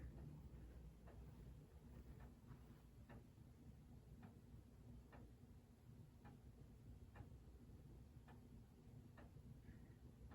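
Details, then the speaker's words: 1927 Junghans German grandfather clock: about one tick a second, but the gaps alternate long and short, so it is suspected to be slightly out of beat. "I think it's out of beat a little bit."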